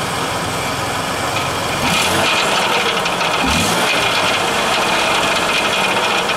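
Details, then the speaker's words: Ford Taurus, rattle at startup/idle: uneven metallic rattle about three a second with a tinny edge over steady idle; owner suspects exhaust, heard behind the engine, not from the engine bay. Source unconfirmed. "yeah I still say it's the exhaust though cuz I don't hear it under come cuz it's coming from behind the engine it's not actually in front of it or nothing"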